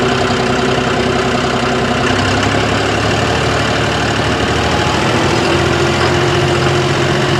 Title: Brand new John Deere Engine knock above 1500rpm 5060e with 27 hours #johndeere